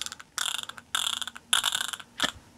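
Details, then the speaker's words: Rebuilt Simson M500 engine from a Schwalbe, gearbox removed and turned by hand: bursts of dry, scratchy ratcheting clicks, bearings suspected; gear wheels show excessive play on the shaft. "da hört man schon was sind die Kugeln macht aber nur machen sie alle was mir auch nicht so ganz schön gefällt"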